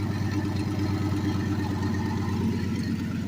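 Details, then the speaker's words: Turbocharged small-block Chevy V8 in a Silverado pickup, daily driven two years, needs several cranks to start: steady low rumble with even firing pulses, no knocks or ticks, settling into idle; healthy. "Hopefully she starts this time. There it is. That's basically what she sounds like."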